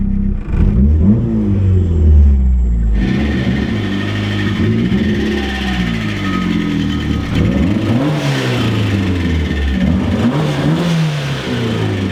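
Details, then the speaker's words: High-compression big-turbo 1.6L Miata after Toyota coil-on-plug install, having shut off after a hard pull: revving on the road with an uneven low rap about four times a second rising and falling with throttle; owner suspects rod knock or stuck lifter, unconfirmed. "well guess we're not doing the fuel system time to figure out did I just give my car a rod knock"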